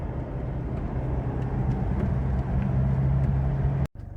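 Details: 2009 Mazda BT-50 / Ford Ranger PK PJ diesel on a road test after a faulty MAP sensor was replaced and codes P0107, P2227, P2263 and P0101 were cleared, fixing limp mode: steady low diesel drone with no misfire, surging or stumble; a healthy running engine.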